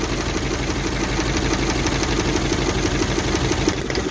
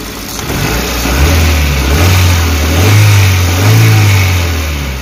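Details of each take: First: Suzuki APV (Mega Carry) idling rough with a loping, shaky beat around three per second while ignition coils are unplugged one at a time (No. 4) to find the misfiring cylinder; shaking worsens on a coil pull. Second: Suzuki APV (Mega Carry) that had been shaking, coughing and low on power, after a service and parts replacement on a rarely serviced van: smooth, even free revs that rise and settle cleanly with no misses or shake. The rpm is now stable and it sounds normal.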